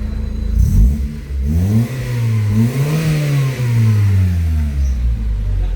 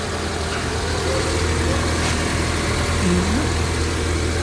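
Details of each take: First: 2000 Honda Civic VTi, warm, after idle adjustment brought speed down from the earlier 1,400 rpm: the engine blips up and settles back smoothly several times with no stumble. Normal idle and rev response. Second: 2000 Honda Civic VTi, engine at operating temperature, owner's complaint of high idle that drops with aircon on, while the IACV/throttle body is checked: a steady fast idle with no dips or hunting, noticeably above a normal warm idle.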